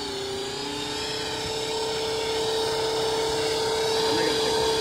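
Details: Radio-control Huey helicopter with a voltage problem, armed but not taking off, heard up close: a steady high-pitched motor whine at one pitch with faint fast pulsing; an abnormal motor sound of unclear cause.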